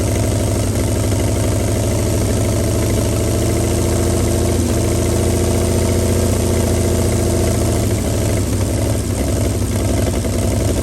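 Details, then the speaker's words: 1937 Chevy truck six, running on gasoline after 45 years sitting, steady even low idle with no knocks, misses or rattles, no smoke despite rusty cylinders; shut down as it gets warm fast, boiling coolant. "well I got to say she runs pretty d d good we shut her down cuz she's starting to get warm real quick yeah she's starting to boil that water in there she gets warm fast"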